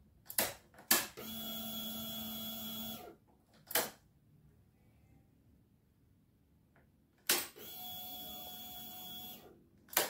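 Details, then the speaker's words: Honda Beat ESP scooter that would not start, at key-on after jumpering the green/white-stripe wire: a click, then a steady high whir for about two seconds at each key-on, the fuel pump priming normally. "Nah, jadi itu ya. Coba kita dengarkan dulu fullpam-nya."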